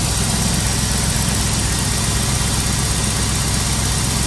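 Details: 1992 Chevrolet Camaro Z28 V8 after new distributor cap, rotor, ignition coil and ignition module: steady idle with an even, uninterrupted rumble and no stumbling or ticking; runs smoothly.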